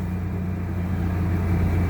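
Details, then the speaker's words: 2001 Chevy Blazer that only cranked without starting, after a part was heat-dried with a blow dryer and tightened with a T20; low steady hum with an even beat, no misses or knocks, now started and idling normally. "ooh is it started up that may have been the problem"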